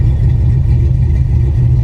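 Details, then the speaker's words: 1987 Monte Carlo SS V8, first start of the year after sitting: deep, even exhaust rumble at steady idle with smooth lope, no misfires or ticks; healthy. "listen to that thing, man. I forgot. I forgot it was like this. I forgot it be sounded like a little band under there."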